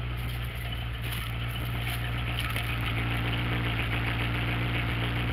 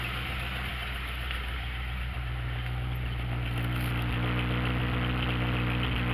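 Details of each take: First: V8 Ford Ranchero, cold, after reattaching a passenger-side exhaust pipe that had come loose: smooth, even idle with a steady deep exhaust note and no puffing; exhaust leak fixed. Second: Ranchero V8 after fixing a broken passenger-side exhaust pipe, cold, idling up in drive with park brake set; lumpy idle with a faint irregular pop three or four times a second, owner suspects ignition timing or cold engine.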